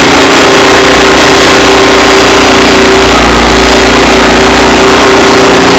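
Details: Cub Cadet tiller with a Honda GC160 engine, after cleaning a carburetor an animal had crawled into, warming up before an oil change: loud, smooth, even single-cylinder run at steady speed, no misses or knocks. Healthy.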